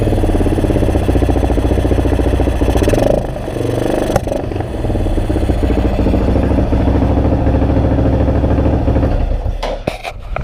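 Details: 2002 Yamaha XT600E single-cylinder idling and revving with broken, irregular firing instead of a clean beat; engine misfire.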